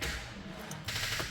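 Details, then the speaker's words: VW Golf V Plus 1.4 TSI turbo, after timing chain and valve repair, cranking attempt: quick rattling solenoid clicks with no engine turnover, battery too flat to crank. "oh no battery"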